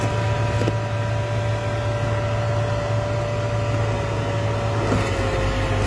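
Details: Dodge Grand Caravan: a constant droning whir with a thin steady whine over a low hum, no change in speed; the blower motor is worn out.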